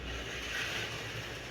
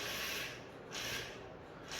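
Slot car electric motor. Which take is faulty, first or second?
first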